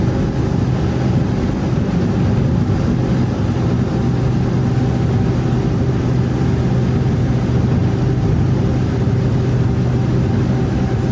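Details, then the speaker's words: Skoolie school bus cruising at highway speed, up to 73 mph, after swapping in new rear differential gears for lower cruise rpm: steady deep road and drivetrain rumble, no gear whine; new gears much quieter than the old ones. "Oh, those new gears are so much quieter. It made such a big difference on how quiet it is in the bus now."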